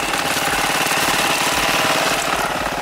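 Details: 1986 Honda Helix scooter, newly revived, drive belt missing (rubber bands fitted): fast, choppy running with a rattly clatter on top; source of the noise not yet found.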